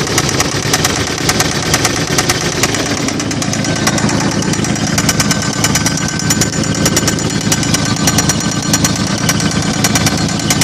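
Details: 1995 Toyota 4Runner 3.0 at idle: heavy, rapid, deep metallic rap hammering steadily, attributed to a connecting rod loose on the crank; rod knock.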